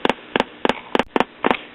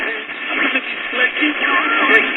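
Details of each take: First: Late-1930s Majestic tube radio just after the leaky output coupling capacitor was replaced and B+ rose to about 260 V. Regular putt-putt double pops about three a second: the audio is motorboating again. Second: Late-1930s Majestic tube radio mid-repair, switched on at about 7 pm and receiving distant DX at the high end of the band. Clean, steady broadcast music with no crackle, hum or fading: normal reception.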